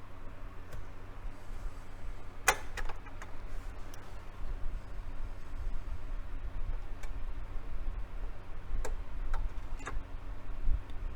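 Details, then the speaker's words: Technics SL-B30 belt-drive turntable, bottom refitted: sparse uneven light ticks over a low steady hum while the platter turns; the tone arm automatic-return mechanism is still bound up, cause not yet found. "right so that's still kind of that's still bound up there so let's see if we can figure out what's going on with that"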